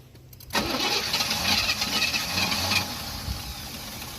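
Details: 1988 Chevy Caprice LS Brougham box Chevy, sitting about 10–11 years, confirmed not locked up and fresh gas added. A few seconds of quiet, then the engine catches abruptly and settles into a rough, uneven run, firing up after long storage.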